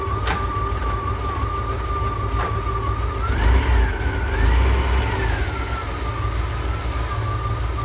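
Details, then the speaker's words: Ford F-Series highboy truck "Fiona 2.0" on maiden test drive after complete engine and gearbox replacement (old motor threw rings, puked oil); even low engine drone pulling away, faint whine rising and falling with speed; runs smooth and healthy. "she runs like a dream fiona 2.0"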